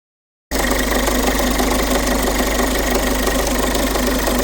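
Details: Peugeot 5008 1.5 HDi diesel idling with a steady, even rattling knock from the timing chain side; chain found stretched almost one full link.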